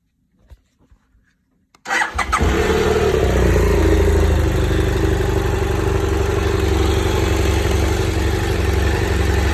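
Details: BMW F800GS motorcycle, cold engine: starter catches and settles straight into a steady, even idle with a regular beat and no odd noises; noise reportedly only appears when hot.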